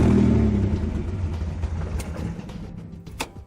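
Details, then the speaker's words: Toyota 3VZ-E V6 with newly fitted turbo, no intake hose or exhaust connected: catches with a deep rumble, then dies within seconds; owner suspects the fuel pump failed, as it wasn't heard priming. "and I suspect that my fuel pump has gone out cuz I didn't hear it come on which could help to explain why it died right after it started"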